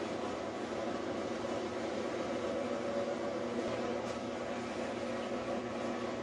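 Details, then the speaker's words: Whirlpool top-load washer spinning with the door open via an installed lid switch bypass switch; steady even mid-range spin hum with no knocking or scraping, spinning normally. "When you turn the bypass switch on, the washer will spin with the door open."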